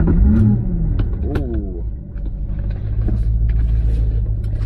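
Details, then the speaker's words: 1998 Lexus SC400, cold start before drive around block: short crank, instant catch, deep even rumble settling into smooth idle; starts clean and runs steady. "all right so i'm in the car right now and we're gonna go ahead and do a quick cold start drive it around the block"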